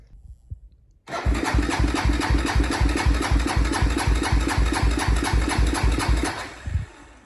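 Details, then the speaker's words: Honda 400EX single-cylinder ATV, first start after crankshaft replacement and refilling oil, good spark; fires, pulses unevenly about four a second for five seconds, then dies; spark plug fouled from rich running and repeated pull-starting with a failed starter clutch. "okay so I've come to the conclusion that this spark plug is completely fouled out and a lot of that to do is it was running pretty rich up there in the mountains anyway"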